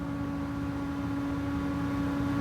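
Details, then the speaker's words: Small 3D printer cooling fan run at 12 volts from a 15V 1A power supply, needing dusting: steady piercing mid-pitched tone with thin overtones over a low hum, cutting through the printer noise; quieter at 10V. "When the printer's going, I gotta dust that out a little bit, but when the printer's going, and you hear that noise, like everything all combined, that tone rings through. I don't know what frequency it's at, but gosh, it gets so annoying."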